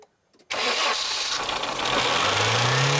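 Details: Barn-find one-owner 1990s Nissan Primera GT, SR20 engine, first start after storage, fuel pump condition unknown: silence, then it catches instantly with no long crank and runs on steadily as the revs climb; healthy start.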